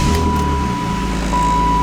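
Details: BMW E36 M3 idling unevenly, low rumble sagging briefly and recovering with a lumpy beat; rough idle, bogs on light throttle, code P1188 logged.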